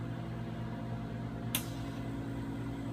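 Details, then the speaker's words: 5-in-1 cavitation radio frequency salon machine, vacuum probe running with suction releasing about every 4 seconds: steady low electrical buzz with a sharp click at each release; normal operation. "so once you set all your settings there you push work you will hear a buzzing noise the machine that indicates it's working"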